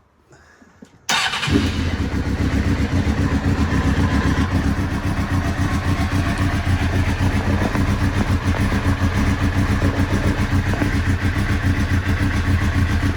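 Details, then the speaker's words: 1998 Suzuki GSX-R 600 SRAD during regulator/rectifier overheating fix, unstarted for two days, stone cold, no choke, fuel gravity-fed into carbs with no fuel pump. Fires at once and settles to steady even idle without stumbling: normal cold start. "it's not even on a fuel pump all it is just put a bit of fuel in here and it's run down the pipe into the just filled the carbs up and uh hopefully it will start first time"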